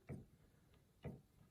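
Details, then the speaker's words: Yamaha G5 piano action removed and on a table, key at the less-worn end: three soft, dull thumps half a second to a second apart with no click or rattle. A quiet, healthy key. "Like that one's silent, almost silent."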